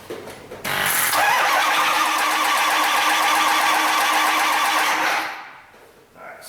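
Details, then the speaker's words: Ford F-550 6.0L diesel dump truck, previously no-crank from a dead battery with voltage drop to the frame: the starter turns it over briskly and evenly for about four seconds with a strong steady whir, intake heater/glow plugs not cycled; normal cranking. "it cranks now uh I didn't let the intake heater cycle or glow plugs whatever this thing has"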